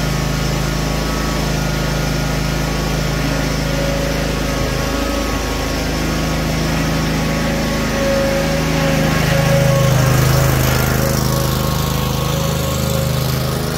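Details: Cub Cadet RZT-50 zero-turn mower engine after crankshaft seal replacement and new aftermarket carburetor (original freeze-damaged): steady drone with smooth even beat and slight rise in speed, no knocks or misfires; running normally.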